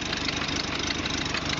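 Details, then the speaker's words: 1929 Ford Model A pickup flathead four-cylinder with updraft carburetor, idling after revival, hood open: raspy hissing chuff over low beat, small exhaust leak suspected. "on there she is an old Flathead it's got a bit of an exhaust"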